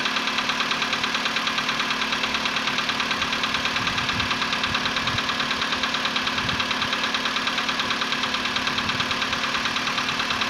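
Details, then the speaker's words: VW Polo Sedan CFNA engine, 105,000 km, cold start at 20 °C after sitting about 15 hours, before decarbonizing: sharp regular tapping about three per second over idle, fading within a minute; cold-start piston knock. "Продолжает стучать, но стук уходит, и через минуту его совсем не будет."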